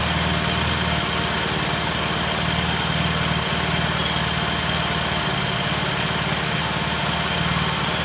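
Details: 1968 T100 vintage British twin, first start after a new battery was fitted: steady, even idle with a low regular beat that holds without hunting. Timing was checked and found dead on, mixture good; there was no slack. Normal idle.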